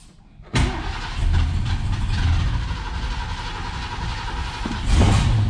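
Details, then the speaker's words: 1969 Mercury Cougar Sport Special, 351 Windsor 2V V8, first start after 20 years stored, foot on gas: catches and runs rough, then sharp pop; backfire at carburetor, which is leaking. "did it backfire at the carb"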